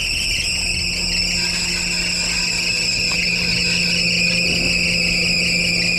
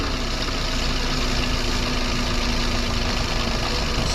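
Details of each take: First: 2014 Perodua Myvi, 88,033 mileage, bonnet open, air-con on: high thin chirping "mouse" squeal over the idle from the front of the engine; accessory belt slipping, noise comes and goes. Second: Perodua Myvi, engine warm, air-con on, after Toyo belt dressing spray on the accessory belt: smooth steady idle with no chirp or squeal; belt running quietly, problem solved.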